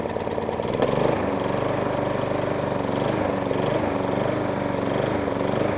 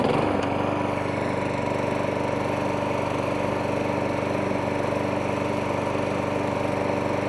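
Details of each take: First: 1.8 Harrier 41 auto drive electric start lawnmower, in only for a pull cord repair and found left on choke, starting and hunting and surging, revs sagging and picking up about every second; running not too shabby otherwise. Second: 1.8 Harrier 41 auto drive electric start lawnmower after pull cord and recoil spring repair, settling into a steady even run with a slight hunt in speed, no knocking or rattling; normal running.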